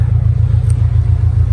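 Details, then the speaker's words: Subaru WRX after head gasket repair, idling after 15 minutes: steady even low rumble, smooth, no hunting up and down as before; normal idle after fixes. "it sounds like the fixes that we did to the car it's an idle and a lot smoother now doesn't have any that weird idling up and down"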